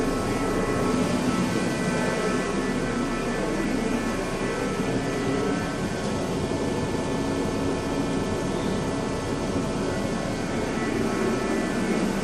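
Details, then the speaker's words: 2005 Dodge Neon after a new engine mount and after oil-soaked spark plugs were found, with oil and gas in two cylinders: a steady, even idle with no stumbles, no misfire light flashing, smooth on all cylinders. "No more flashing. No more misfire."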